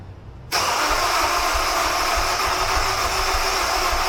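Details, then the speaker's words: Honda S2000 believed to have been flooded, spark plugs involved, cranked after reassembly with a charged battery: after a pause the starter spins steadily with an uneven churn, never catching. Cause unknown; crank, no start, unchanged from before work began. "That was like attempt number 89 of me trying to get this thing started."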